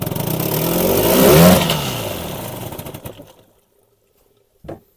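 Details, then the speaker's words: Old Evinrude 20 hp two-stroke tiller outboard revved out of gear: the note climbs to a capped rev, then winds down and stops. This is normal limited rev in neutral, not the ignition fault the owner first suspected. "Yep, so it doesn't rev up all the way without gearing. That's clever. That's why I thought the ignition wasn't working the way it should."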